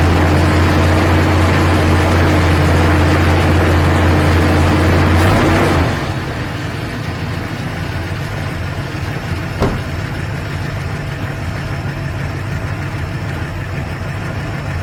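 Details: Carbureted engine tuned for winter: steady high fast idle drops after one throttle blip kicking off the choke to a lower even curb idle set about 700 rpm; normal curb idle.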